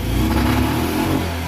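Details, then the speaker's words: Single-cylinder engine run briefly without its cooling fan: revs climb cleanly and hold without stumbling or popping; takes throttle freely, a huge difference. "we go that's all I wanted okay now I'm gonna shut it down so that made a huge difference"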